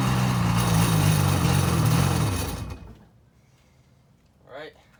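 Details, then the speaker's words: Sea-Doo jet ski running right after two new spark plugs were installed: even, quick-firing buzz holds steady a couple of seconds then winds down cleanly, no misses or knocks; starts and runs well, new plugs probably helped. "how she sounds. She starts up pretty good, but with the new spark plugs, probably helped it out."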